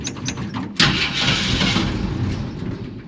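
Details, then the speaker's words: 1946 Studebaker M5 pickup with AMC 258 straight six, good battery, cold spring start at 70°F: slow cranking, then catches and runs rough and uneven; cold-blooded carburetor makes hard starting. "Been having trouble with this carburetor, like I said, it tends to be cold-blooded. So let's see, it might take a little bit here. Oh, there we go."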